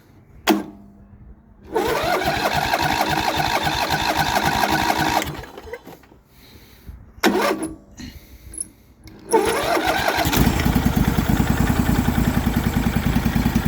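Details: MTD Yardman riding mower twin-cylinder engine, first start in years on 1-2 year old fuel, valves just adjusted and starter replaced: after cranking and false starts it settles into a steady, even putter on both cylinders once the second plug wire is connected; normal running.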